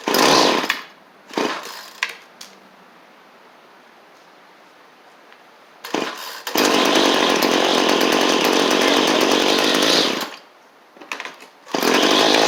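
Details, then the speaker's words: Small two-stroke trimmer fitted with a replacement Bolens BL100-type carburettor because the old one lacked an adjustment screw: buzzes at idle, then a few throttle blips and a long loud run. It hesitates coming off idle; high-side mixture adjustment is suspected. "Don't want to come off idle right now."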